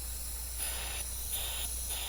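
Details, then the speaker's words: Mercury Optimax outboard with stalling, surging, power loss; shop air fed into the air side of the regulator: sharp hissing bursts every half second through the vent holes; air leak from regulator vent holes, causing low air and fuel pressure. "Oh, what's that noise? Hear it? It's already leaking. It is leaking. Right. These are vent holes right here."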